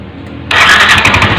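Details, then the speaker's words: Yamaha NMAX scooter after fuel pump replaced (pressure now 39 psi, was 20 psi) and injectors ultrasonically cleaned, for hesitation and stalling on throttle: quiet, then catches in one go and settles into a steady running note; starts cleanly. "Kemudian akan kita starter, hidupkan mesinnya."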